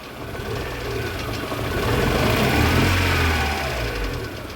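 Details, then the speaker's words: VAZ 2112 petrol engine, warmed up, running rough and lumpy as the misfire begins, stumbling on throttle blips; owner suspects the ignition module, whose resistance read below spec. "движок прогрелся и вот началось двигатель"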